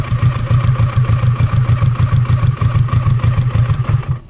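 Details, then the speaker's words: Kawasaki Versys 650, fully warm engine, idle screw turned anticlockwise from 1,300 rpm to lower idle: idle pulses unevenly about three beats a second then dies at four seconds; stall from idle set too low. "afogou certo bar a marcha lenta ficou baixa demais"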